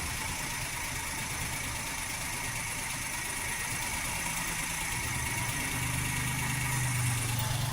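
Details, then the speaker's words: 2013 Maruti WagonR with K-series petrol engine at idle, no check-engine light: uneven surging idle hunting, suspected as one cylinder not working (misfire); ignition coil replacement is the fix. "वैसे दोस्तों इतना engine hunting का यह मतलब है कि कोई cylinder काम नहीं कर रहा है। तभी हमारा इंजन हंटिंग कर रहा है।"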